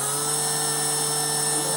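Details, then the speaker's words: Electric motor of a Dumas Hurricane RC conversion, bench-run after fixing earlier connection/ESC problems, at about half throttle; steady even whine at constant pitch without stutter or surging, behaving much better than before. "so let's see so I'm halfway proper behaving much better than before"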